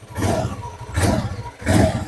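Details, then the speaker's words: Honda Beat Pop scooter, CVT cover area: rough rumble at idle, and three throttle blips bring a coarse knocking rattle from the belt drive with each rev; CVT fault suspected, not confirmed. "Selain suara berderak itu, ada suara ketukan lain , kawan-kawan. Suaranya khas, kan? Nah, saat mesin dalam keadaan diam, hanya terdengar suara gemuruh kasar. Dan ketika Anda menginjak gasnya, suara lain pun muncul, kawan-kawan."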